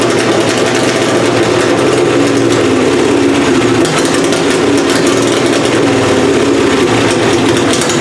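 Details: Plan B pulling engine at first fire-up of the season after head gasket annealed and installed, timing adjusted: loud, steady, even bark with no misses or ticking; gasket appears sealed, runs well, carburetor still needs tweaking.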